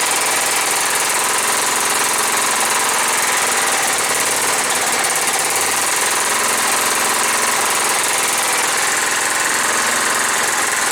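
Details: John Deere STX38, Kohler Command 13 hp engine, first start, choked, gas poured in carb: loud, uneven clatter that lumps and stumbles, won't hold a steady idle; owner suspects old gas.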